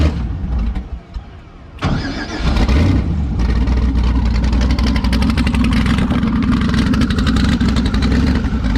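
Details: V8 (Klaus) restarted after 4 months sitting and cylinder head work, about 15 minutes after last run; brief crank, then catches cleanly within a second and settles to a steady even idle. Normal warm start.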